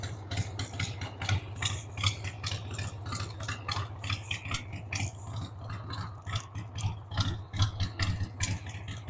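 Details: 1993 Harley-Davidson Sportster 883 Evo V-twin, stored about 15 years, just started on starting fluid with a dead battery: a loping, uneven idle with irregular beats and surging loudness. The owner says the carb needs cleaning.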